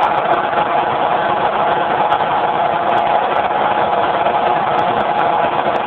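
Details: Generator converted to run on natural gas, with gas fed into the airbox and a safety shutoff valve, recorded on a low-quality phone mic: steady, even drone at constant pitch with no surging, misfires or knocks. It runs smoothly.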